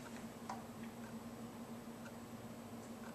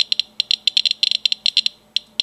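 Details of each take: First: Geiger counter taking a background reading while checking rocks: sparse, irregular sharp clicks, about one every second or two in a quiet room; small pulses of ticks mean little, just a normal background count. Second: Geiger counter held to old radioactive glassware, mostly alpha emission: fast, irregular sharp clicks in clustered bursts, many per second over a quiet background; registering hundreds of counts per minute, a high count.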